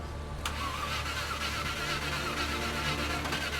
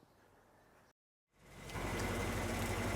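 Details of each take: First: Land Rover Discovery 1 V8 being recommissioned, second start attempt: starter churns at an uneven, tired pace and engine never catches; owner unsure why it won't fire, suspects the starter. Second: Land Rover Discovery 1 V8 being recommissioned, after fixing a 1500 rpm high idle, possibly linked to the removed idle bypass valve: loud but even, unhurried idle with no hunting; running smoothly.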